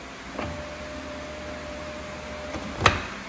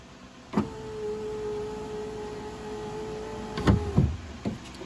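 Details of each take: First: Fiat 500 Abarth passenger window, before lift assembly replacement: faint steady motor whine about two seconds with clunk at each end, glass not moving; failed window regulator, to be replaced with regulator and motor. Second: Fiat 500 Abarth new window lift assembly (regulator and motor) after replacement, accessories on, raising tab to meet glass: clean steady motor whine about three seconds with clunk at each travel end; operating normally.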